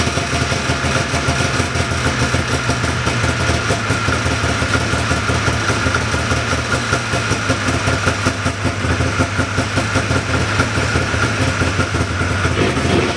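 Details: 1979 John Deere Cyclone 340 two-stroke snowmobile after carb cleaning: fast, even idle with crisp regular firing, no misses or surging, steady and slightly high; air box still off. Normal idle.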